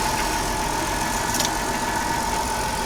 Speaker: 3.3 liter v6 she sounds like she's running like a top